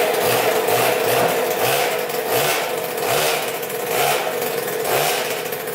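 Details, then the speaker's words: 2000 Cobra 50cc two-stroke dirt bike after top-end work, on a temporary rigged throttle cable: buzzing and picking up revs in repeated blips about once a second, responding cleanly; normal revving. "oh yeah she wants to go so throttle cable works"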